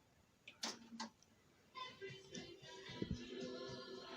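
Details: Old pre-recorded cassette (Disco Fever) played on a deck, side A, before replacing pressure pads with felts; after handling clicks the music is steady and clear with no dropouts or pitch wobble, normal cassette playback.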